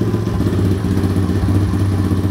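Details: Honda CT70 Trail 70 small single-cylinder engine with 12-volt conversion, running before wiring harness replacement; steady, even low chug at fast idle with no knocks or misses; engine running normally.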